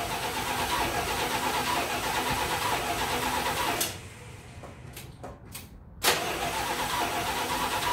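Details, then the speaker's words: 1987 Dodge D100 V8 after fitting a new aftermarket carburetor and cleaning the year-old plugs, during tuning; steady idle, cuts out briefly, catches and settles smooth with no knocks or misses; normal start and idle. "it's it seems like it's running pretty good i mean i'm no tuning specialist i'm not a carburetor professional or whatever"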